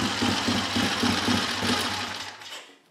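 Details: Classic Triumph Tiger, likened to a baby Bonneville, unused for 3–4 years, at idle. An even tick-tick beat of about four per second over a light mechanical clatter before it fades; a clean, steady idle.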